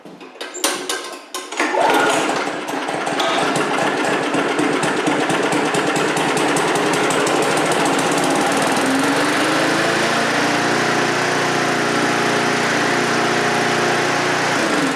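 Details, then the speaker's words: Briggs & Stratton 3.5HP push-mower engine with a Pulsa Prime carb-on-tank carburetor after cleaning and rebuild: it runs steady but fast and buzzy at high rpm, then shuts off. The owner suspects the linkage or springs aren't right. "nd go and somebody it's running a little bit of a high RPM so let me check the linkages here see like it's running better the springs or something not right on here and it's acting that"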